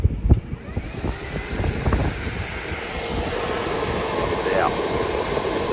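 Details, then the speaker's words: DIY ice-water heat-exchange cooling unit tested in mid-80s ambient heat. Its small 12-volt fan makes a loud rushing roar with uneven flutter and handling bumps, showing excessive fan noise. "kind of noisy right there that's uh a 12-volt fan"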